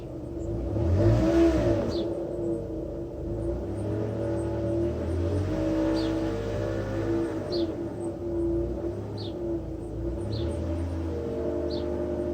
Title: 2008 mitsubishi lancer gts weird engine noise